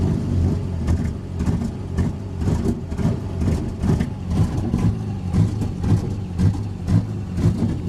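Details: Engine running on Microsquirt: uneven low-pitched running with a stumbling beat about twice a second through the revs; engine misfire.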